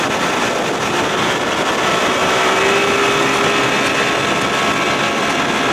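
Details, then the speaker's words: 1992 Johnson 60 hp outboard on first water run after restoration, at about 19 mph cruise below full throttle: smooth steady high-pitched drone with water and wind rush, no surging or miss; runs well. "there's that 19 mile an hour cruising speed i like oh man she sounds"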